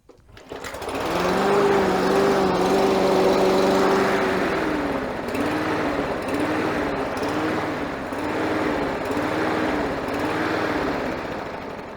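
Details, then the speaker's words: Victa mower with Briggs & Stratton 550EX 4-stroke engine revving up and down in a steady rhythm; surging caused by an air filter blocked with dirt, dust and oil, fixed by replacing it. "so the problem with this one it starts but it's surging so I'll show you what it does"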